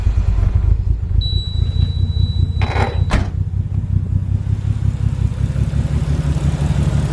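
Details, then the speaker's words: Nissan R33 Skyline idling with a deep uneven burble and lumpy, stumbling beat; cylinders four and five still dead after a coil pack swap test, so the coil pack is good; misfire. "i think that coil pack may be dead oh no definitely made a difference with that ball pack so okay so it's still four and five that are gone which means that the coil pack right there is good"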